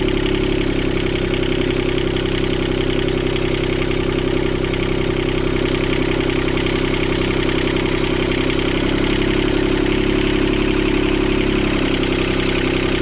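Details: Sailboat port diesel after repairing four engine mounts snapped by a log strike. It runs steady and even but fast for idle; the throttle cable bracket was bent when the engine jumped forward 3-4 cm, and the idle needs adjusting.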